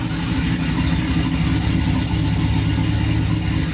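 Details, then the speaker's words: Silverado V8 truck first running after sitting almost two years, still on old E85 fuel, rear microphone: deep, loud rumbling burble with heavy low drone and revving blips; exhaust too loud, may need a resonator. "it's kind of loud I have the rear microphone on it's a little too loud we might have to put a resonator on it quiet it down"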